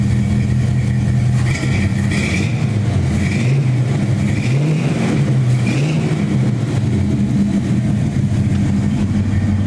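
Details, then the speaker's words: 1970 GMC truck with new exhaust: new manifold studs and gaskets both sides, 2.5 in tubing to mufflers, 2 1/4 in tailpipes over the rear end: deep, steady, not too loud rumble with smooth throttle blips, no rasp, leaks or rattles; normal. "Not too loud, not too obnoxious. Nice, good rumble to her."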